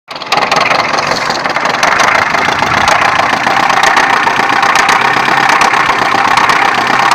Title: Стук мотора х20хеv